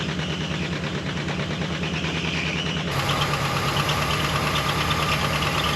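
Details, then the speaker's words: Chrysler Newport V8 first started after sitting about 22 years: idles with light lifter tick, then a steady high whine sets in and holds over the engine from a badly worn power steering pump. "Woo! Oh man, the power steering pump is like all jacked up. Oh my goodness."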